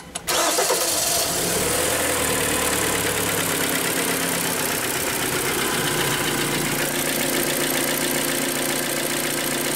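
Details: Kia Sportage 3, G4KD 2.0 petrol, cold start: fast idle with steady rapid knock, appeared mid-winter; local shops suggested valve adjustment or chain replacement; engine being removed for full teardown, suspected piston slap.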